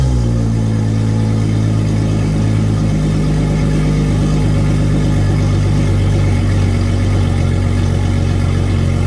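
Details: Center Yamaha 300 outboard on a new 2022 Regal 38 XO, test run after its 20-hour service: deep, steady rumble holding an even idle speed with no misfires or rattles; healthy.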